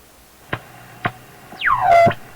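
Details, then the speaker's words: Marconi 201A AM/shortwave radio, weak on shortwave, around 17 MHz at full volume: clicks then a whistle sweeping down in pitch; set seems to break into regeneration-like oscillation, cause unconfirmed. "so this part of the band The Radio seems to be in a regeneration kind of situation"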